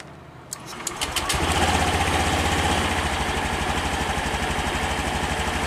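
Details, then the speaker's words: 2020 Honda Beat scooter that was sluggish and lacked power, after the injection altitude mode was reset. It starts and settles into an even idle with no hunting, with injector duration about 2.7–2.8. The rpm now feels much lighter. Normal idle. "terlihat Bro jadi untuk rpm nya sudah jauh lebih lebih ringan daripada yang tadi sebelum kita setting mode satu"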